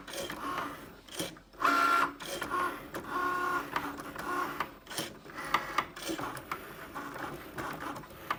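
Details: New Cricut Maker on its first use, cutting a card: motor whirs in short bursts broken by sharp irregular clacks as the carriage moves back and forth. Knocking from the carriage, cause unknown.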